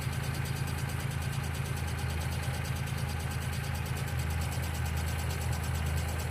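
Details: 1995 Geo Metro idling: a light, quick ticking at roughly two per second sits over a steady small-engine idle, a valvetrain tick likely from a lifter; B-12 fuel injection cleaner added to the oil before an oil change.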